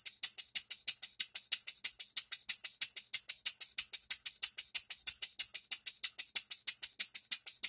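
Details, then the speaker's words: Rebuilt English bar-stock model engine on air after reassembly, with crosshead machined, new crosshead and main bearings, reamed cylinder, new silicone-ringed piston and valve timing set; crisp even puffs about three a second, steady spacing, no knocking, runs smoothly. "what a good sound I like it guys pinch back here to it a little bit really nice well guys she runs but she still needs a base"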